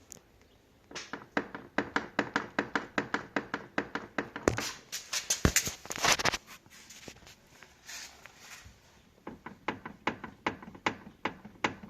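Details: Audi S8 D3 5.2 V10: sharp repeated clunks, two or three a second, when rocking the steering wheel back and forth; seems near the steering rack, mounting bolts checked tight, cause unknown.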